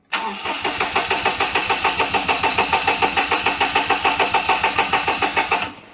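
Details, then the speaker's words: 2006 Daihatsu Charade (Cuore/Mira) L251 after engine swap, oil pressure light now working: even starter cranking about three and a half beats a second for six seconds, never catches; no spark, ignition fault, battery voltage dropping. "now something is still wrong on the ignition side but we have got the oil light"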